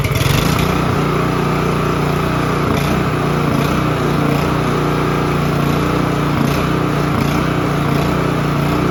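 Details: Honda HRB215 push mower, stored for years and not running, restarted on choke after repair with a missing piece refitted: catches and holds a steady busy buzz with no misses, surging or rattles; normal running.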